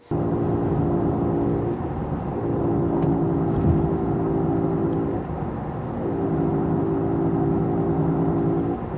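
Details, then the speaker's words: Road test at speed: steady low humming drone from a worn wheel bearing fades while cornering unloads that side, then returns when driving straight and reloading the bearing. "And then when you come back from your turn and go straight ahead, you're back to loading that bearing and it's making some noise."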